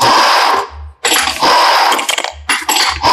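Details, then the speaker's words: Audi A6/A4 electric power steering rack on bench, turned by hand: harsh whirring grind with steady whine in bursts while turning; internal rack noise, faulty unit. "अब इसके अंदर देखिए आपको sound की आवाज कैसे कितनी ज्यादा आएगी मैं इसको अभी घुमा रहा हूं ठीक है"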